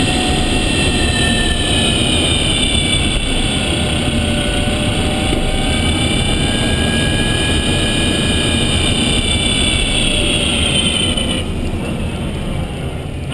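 High whistling tones climb and fall with road speed over tyre and road roar, pointing to a noisy drive motor.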